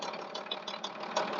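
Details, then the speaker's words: MTZ-1221 (Belarus) tractor diesel at idle: sharp, evenly spaced metallic taps several per second from the cylinder head. The knock is unchanged after an injector was replaced and checked at a repair shop. Cause still unknown. "Всем здравствуйте Вот такая вот проблема в прошлом видео я рассказывал что поменяли форсунку свозили на ремонт проверили стук как был так и остался"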